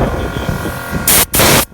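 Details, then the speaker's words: VIAIR onboard air compressor: steady motor hum with low throb and rushing air, cutting in at 160 and off around 200 psi, a small leak at the air chuck fitting; normal operation. "but there it kicks back on. It kicks on at 160, shuts off at like 200."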